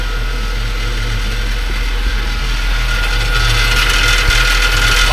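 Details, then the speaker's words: Nissan Juke 1.6 turbo idling after PCV valve replacement for a P0101 code: a loose, tinny chatter about three or four times a second from underneath. Heat shield rattle; the shield was found rusted off. "got to get it up in the lift to figure out what that rattle is I got a sh Shield or something down there"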